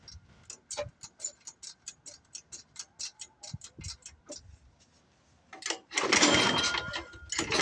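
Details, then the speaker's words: Old Craftsman 24 snowblower with a Tecumseh engine that sat for years, at about 28°F, with the cylinder lubed and a hole in the plug boot: slow pull-start ticks, a brief rough burst, then it dies; a carburetor problem is suspected. "sounds like it wants to all right I guess I'm gonna have to figure out how to get in here to this carburetor"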